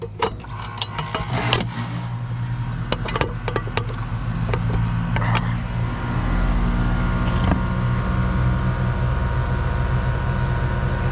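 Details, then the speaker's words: Goodman AC unit restarted after brazing in new copper and fitting a smaller orifice, gauges and temperature clamps on: sharp clicks, then compressor hum and fan settling to an even drone; clean, normal startup. "so this should kind of be like the factory startup that he would have done"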